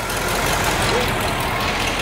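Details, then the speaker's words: 1973 Cadillac Eldorado 500ci big-block V8 just fitted with a new carburetor and repaired power-steering pump: steady, even idle with no pump whine or groan, steering pump quiet and healthy; timing may still be off. "the carb sounds like we may have a timing issue still but it's running you know I think it's running so well"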